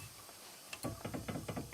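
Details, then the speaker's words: 2006 Mercedes C200 CDI front wheel rocked by hand at 6 o'clock: quick run of light clunks, about seven a second; play from a loosened tapered wheel bearing. "entendez et du jeu donc si vous avez un jeu dans la roue en mettant à 6h vos mains c'est votre roulement coni qui se desserre"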